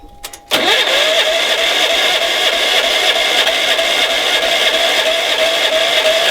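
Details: Engine cranked through a NOCO GB70 2000A jump starter in force mode with the battery's positive terminal disconnected. A brief crank, then it fires and holds a steady, even note without stumbling. Normal clean start.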